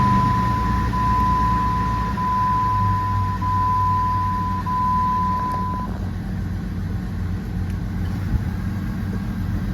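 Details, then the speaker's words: Jeep WJ 4.0 on a morning start after the ignition coil and plug replacement for P0351; it starts well and idles smooth and steady with no shaking, with a dash chime at first, so the idle is normal. "ติดดีรอบนิ่งปกตินะครับไม่มีอาการสั่นโอเคนะครับเรียบร้อยดีนะครับ"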